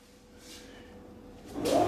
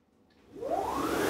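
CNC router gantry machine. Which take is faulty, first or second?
first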